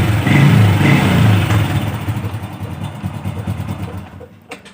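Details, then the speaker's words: 2008 Honda Revo motorcycle after a broken wire was repaired, restoring total electrical and electric-start failure: electric start fires it into a quick, even low thrum with no misses. Normal idle. "Oke, sudah bisa ya, Dulur ya. Jadi ee kerusakan yang saya alami seperti itu, dulur."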